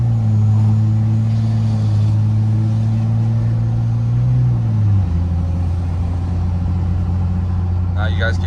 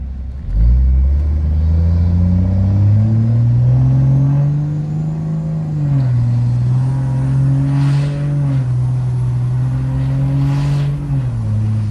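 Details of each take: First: 4th Gen Cummins 2G swap, 750hp-capable, on tune file 3, accelerating with windows partly up: steady diesel drone, then an abrupt pitch drop at the shift, a slightly soft flare that is normal after a new valve body and quick relearn. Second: 4th Gen Cummins with 2G swap, 750hp-capable, tune file 3, transmission still learning: tap-shifted upshifts where revs climb then drop cleanly with no flare or clunk, smoother than automatic shifting.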